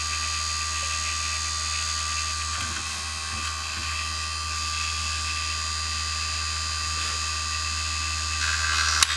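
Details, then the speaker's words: Mini wood lathe at slowest 12 V speed, turning with a U-shaped gouge: steady motor whine with irregular scraping rattle as the workpiece chatters because the chuck end isn't gripping adequately. "I'm hearing a lot of noise, and it's from this. This end isn't gripping adequately."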